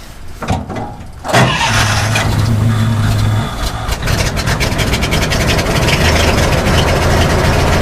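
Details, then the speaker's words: Old engine, started with electric fuel pump running and some choke: brief crank, catches and settles into a steady, even idle with a soft regular beat; runs remarkably smoothly. "Szépen jár. Milyen hangja van? Elképesztően finoman jár."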